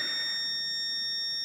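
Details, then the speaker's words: Kwikset/Weiser SmartCode lock, 4 AA batteries, gives one long beep of about 1.5 s with a green flash after a new 4–8 digit user code is entered and lock pressed, confirming the code was added, following door handing detection. "Okay, you're going to hear a long beep and see a green flash here, meaning the code has been added, okay?"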